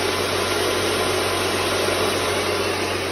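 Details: Thai rice/bran mill converted from swinging hammer blades to a grinding-teeth set to cut noise and vibration: constant, even whir over a low steady hum, no clatter or banging; normal running after modification.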